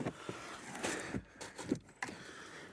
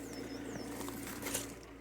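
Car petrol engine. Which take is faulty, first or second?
first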